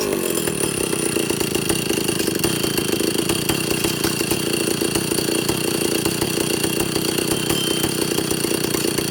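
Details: Vintage Stihl chainsaw after air-leak and fuel-system repair, carb at initial settings (high ¾–1 turn, low ⅞–1 turn out, target idle 1,800 rpm, max 10,000): loud steady buzz never climbing to full revs; cause suspected, not confirmed.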